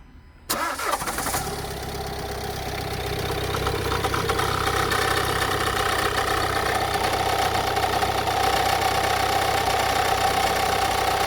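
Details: 2017 Renault Kadjar 1.6 dCi 130 hp diesel: 2–3 seconds after a cold start a steady hum-whine builds over the idle and lasts about 10 seconds; cause unknown.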